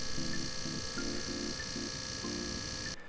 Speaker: now one thing to point out here is you can actually hear the vibrations so the pod is not the quietest but one benefit to that is that you can hear when it's finished because the vibrations will stop